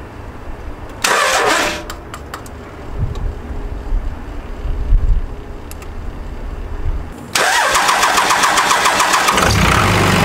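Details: Dodge Ram 2500 Cummins 24-valve diesel after installing a FASS DDRP fuel pump to replace a failed AirDog Raptor pump: the pump whirs, a pause, then the engine cranks briefly, catches and settles into a steady even idle with no stumble.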